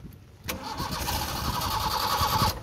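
Starter turns the engine briskly with even cranking beats for about two seconds, but it never fires or catches: a crank with no start.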